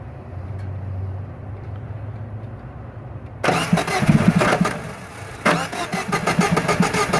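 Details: 1994 Geo Metro with electrical problems, cranked with starting fluid and throttle floored: steady cranking about three seconds, brief ragged catch that dies, then stops cranking; engine starved of fuel, fuel delivery fault.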